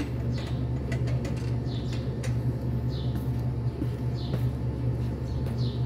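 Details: Toyota Hilux D4D diesel pickup idling with a steady, even low rumble and birds chirping, after a no-start with starter clicking was fixed by overhauling the starter and sanding the solenoid contact points.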